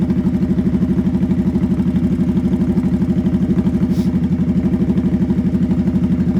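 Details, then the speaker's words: Motorcycle with no tachometer pulling in first gear: quick, even engine pulses climb higher until the pitch can't rise any more and holds at the top, the sound that means it's time to upshift. "Did you guys hear how it got higher and higher until it couldn't get higher anymore? That is the noise it makes when you need to shift."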